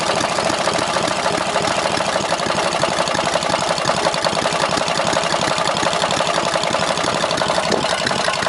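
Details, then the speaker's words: 18 hp opposed-twin engine, leaking crank gasket, about 4000 rpm limit: busy run with fast loose knock that doesn't change with speed, seems from rear of block; owner suspects rod knock or top-end bearing. "but anyway sounds like rod knocked me which i can probably fix but like i said it means i gotta tear the whole engine apart"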